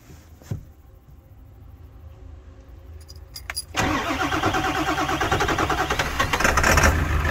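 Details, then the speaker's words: 2001 Ford F450 7.3 Powerstroke diesel just started after new batteries fitted: cranks and catches, then runs lumpy with pulsing shake about three times a second from a sticky injector that comes back to life once it runs. "shaking sticky injected if I let it run and come back to life"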